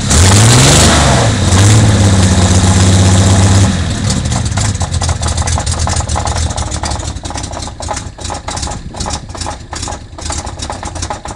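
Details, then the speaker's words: Nissan L28 engine in a Z car, due to be replaced: it starts, revs, then idles with a sharp regular ticking about four times a second. The abnormal internal noise's cause is unknown pending teardown. "Can you identify what this sound is? We have no idea, but we're going to find out pretty soon when we tear it down."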